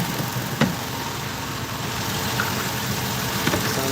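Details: Ford Taurus police car with 3.5 V6, twin VCT, after reassembly and coolant top-off with orange coolant: even steady low idle rumble with a couple of stray taps from nearby work; some oil residue by alternator; normal idle.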